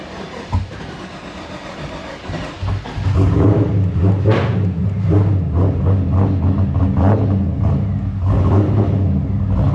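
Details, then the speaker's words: LS V8-swapped Infiniti G35 with a cam, first start after fuel line disconnection and fuel pump work: several cranks before it catches, then a lumpy idle that sags as if it will die. Owner suspects insufficient fuel. Hard start and stalling. "Yes, the car is starting, but it wants to die every single time, and that's probably because it's not getting the right amount of fuel at the current moment."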